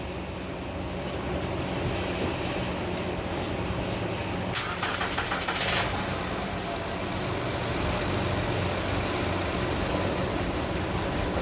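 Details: Van returned from a shop after they adjusted valves, now with a component replaced: engine catches quickly and settles into a steady, even idle with no knocking or ticking; runs normally, though the issue later returned.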